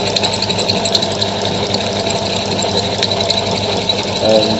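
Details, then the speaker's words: Worn tap cutting a hob into a bolt for a RepRap hobbed bolt: steady high squeal rides over the motor hum, a worn-out tap squeaking. "by the way it's squeaking you can hear, this tap is basically cream crackered."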